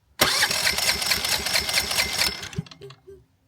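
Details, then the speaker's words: EcoFlow Smart Generator dual fuel model converted to natural gas, fuel previously completely drained; brief rough pull-start chuffing that dies without catching; cranking without starting, owner suspects it needs priming again. "Yeah, we'll probably have to prime it again."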